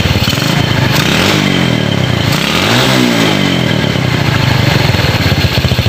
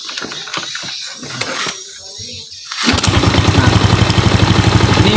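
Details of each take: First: Ragged, uneven pulse stumbling and sputtering under throttle on a Yamaha Jupiter Z single that misfires when gassed; dirty or corroded connections suspected, spark plug and ignition to be checked, cause not pinned down. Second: A few kick strokes, then the Yamaha Jupiter Z single fires and settles into an even, steady putter of about four beats a second, tested with the CDI fed directly from the ignition switch brown wire; starts and runs cleanly.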